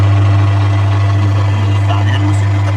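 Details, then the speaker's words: Sharp twin-tub washing machine, wash tub leaking water onto the floor: strong motor hum with rough uneven rumble when spinning clockwise, smooth counterclockwise; fault in wash drive suspected. "dan kedua suara Mesin cucinya ini ketika dia berputar clockwise dia kasar sekali suaranya tapi ketika berputar kontrak clockwise ccw maka dia suaranya halus banget"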